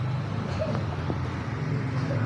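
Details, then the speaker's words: TVS Ntorq fuel-injected CVT scooter, before valve adjustment: a fast, busy ticking sits over the low engine drone without easing. The valves have very large play and are out of clearance, causing tappet clatter. "Sobrang laki ng alog ng balbula. Wala na sa clearance, kaya siya maingay."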